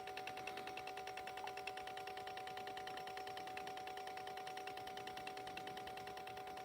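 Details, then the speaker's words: 2019 Ford Escape 1.5L EcoBoost, engine off, purge valve commanded by scan tool (complaint P0496, hard start after fueling): crisp even ticking about three per second with faint hum; valve cycling properly, silent at 100% duty from constant voltage. "you may have noticed that the valve went quiet when the scan tool was at 100% duty cycle and this is because at 100% the valve was receiving constant voltage as opposed to the pulse voltage when it is running a duty cycle under 100%"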